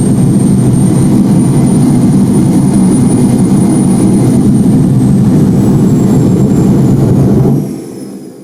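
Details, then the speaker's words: Homemade jet motorcycle turbine with afterburner, tested: loud steady jet roar over a high whistle, then the roar suddenly falls away as the afterburner blows out in two stages; suspected central and ring flame stabilizer incompatibility. "As you can see, the afterburner blows off in two stages. First, the main flame disappears, and a thin blue stream remains, and then it blows away too."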